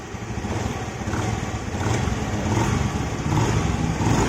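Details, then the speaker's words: Honda Vario 110 FI scooter, after crankshaft bearing repair and reassembly, listened from the side under light throttle: smooth running with no high whine. The "sing sing" noise heard there before the repair is gone. "Udah hilang ya suaranya di bagian sini. Kemarin kalau saya gas pelan gini di daerah sini bunyi sing sing sing kayak gitu."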